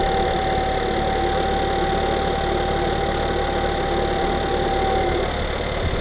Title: Cold start bad rough idle tfsi software fix